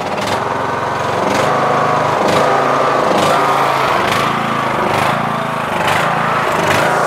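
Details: Yard Machines MTD lawn tractor, 20HP Briggs Intek, Nikki carb: engine note swells and sags about once a second in a hunting rhythm. Surge; mixture screw broken so cannot adjust.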